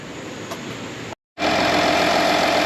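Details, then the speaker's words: 2013 Audi Q7 TDI after new alternator fitted for battery light and no-crank: steady, even diesel idle with no knocking, whine or squeal; charging 14.2 V at about 10 A at idle, normal. "so guess what my diagnosis was correct we performed the output test to the alternator with voltage and amperage and it's right where it needs to be at idle we're charging at 14 2 with about 10 amps"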